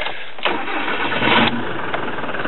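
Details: Ford Transit Mk6 Duratorq diesel, VP30 electronic injector pump replaced with a mechanical Bosch VE pump; first start after conversion, a short crank, then it catches and settles into a steady, even idle with no misses or knocks.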